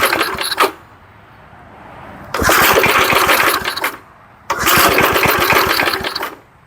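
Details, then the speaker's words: 1975 Murphy's 20-inch push mower after long storage in a shed: two long cranking bursts of quick uneven chuffs, about four a second, die without catching. Starting fluid is added, and low compression from sitting is suspected. "let's get a little laughing gas to put in there to help it out because I'm sure the compression is down on it from sitting"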